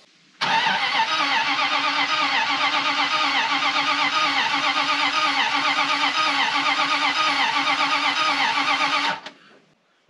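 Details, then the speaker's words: Carbureted dump truck, unused since last year: starter spins the engine briskly and evenly for about nine seconds but it never fires. Crank, no start; apparently needs fuel in the carburetor. "it's cranky good let's figure out why it's not running"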